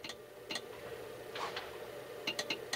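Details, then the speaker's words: Radio left in a shed for 12 years, on a bench power supply set to very low current; sharp dry clicks in uneven bunches over a faint hum; cause not yet known. "if I turn this over well this the power supply's down on a very low current rating you can hear to click"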